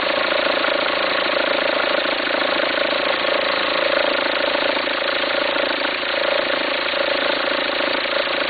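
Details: 2004 VW Passat 1.9 TDI diesel at idle: fluttering, uneven rumble pulsing about three times a second over the clatter. Belt appears to jump when it happens. Owner suspects a worn pulley, unsure whether to replace the pulley or the whole alternator.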